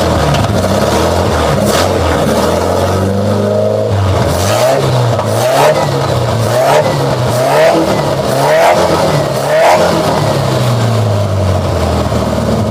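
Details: Nissan Vanette engine with non-spec B310 extractor and modified manifold, carburetor just serviced, being tuned, lower exhaust not connected: loud raw raspy bark rising and falling with throttle blips; disconnected exhaust pipe.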